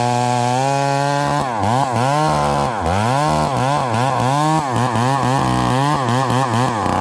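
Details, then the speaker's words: Stihl 038 Magnum chainsaw cutting wood, carburetor issues: pitch keeps sagging and surging in the cut, never clearing crisply, and slow to return to idle while smoking; running rich and bogging, with a stumble off idle when leaned out. "This thing's not coming down. It's running really rich. It's coming down to idle and it's kind of fogging out."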